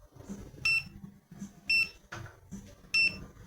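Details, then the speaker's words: Multimeter probing the input winding of a large disassembled transformer from a 550 A welding machine. The auto-ranging meter switches to continuity and gives short high beeps, showing near-zero resistance, practically a short, across the input. "tá dando praticamente um curto na entrada é porque esse mío tá automático e tá achando a escala de Cont continuidade"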